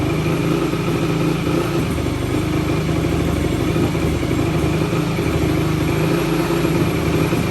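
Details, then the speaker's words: 2004 Yamaha YFZ450 with zero compression on the gauge, started on brake cleaner sprayed into the intake: loud, uneven single-cylinder idle that stumbles and surges, running rough, cause unclear. "oh damn it ran I didn't think it was going to I'm not even going to lie"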